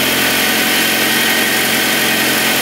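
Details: 1978 Mitsubishi Colt Sapporo RWD coupe, first start after sitting since 1993, running off choke without fuel or air filter: constant, even engine hum with hiss on top, no knocks or misses, no vibration; normal smooth idle.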